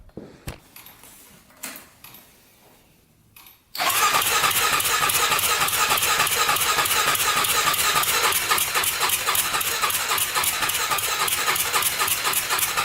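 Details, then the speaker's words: 1999 Honda 400EX quad, newly turbocharged, carburetor fed by added fuel pump: engine catches after pause into fast steady popping with hiss; runs no better, carburetor needs pressurizing, leak found. "it doesn't seem like it's running any better um oh i think we have to pressurize the carburetor somehow"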